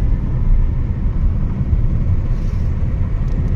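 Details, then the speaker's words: Hyundai Creta diesel on road trial after crank and diesel pump timing job; deep steady rumble pulling evenly, firing smooth with no knocks, misses or surges; minor main oil seal leak noted. "Finally trial चालू आहे गाडीची आणि सगळं firing वगैरे smooth आहे."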